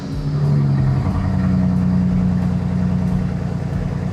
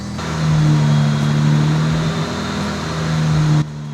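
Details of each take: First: BMW 335i N54 petrol engine right after start: uneven idle with irregular stumble and low steady groan; fluid coming off the belt caused the groaning; misfire with stored code for cylinder one. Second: BMW 335i, N54 engine, after misfire repair: steady, even low hum with no stumbles or skipped beats over several seconds; smooth idle with no misfire, left idling to check for codes.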